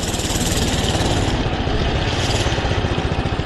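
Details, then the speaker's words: 79cc Doodle Bug minibike, after work with the choke used to start: a quick, even putter with no spitting or sputtering, idling cleanly and healthy. "idle's good sounds like a Runner boy seems like a runner"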